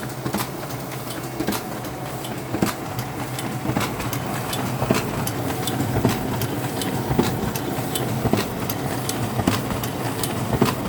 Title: Clicking noise on sp5300dn